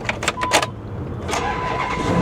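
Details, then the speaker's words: C8 Corvette V8 with 131,000 miles, started without a jump: quick starter whirr, then it catches at once and settles into a strong, even run; clean start despite check engine light on. "check engine light is on but I mean it runs good it sounds good it goes right into gear"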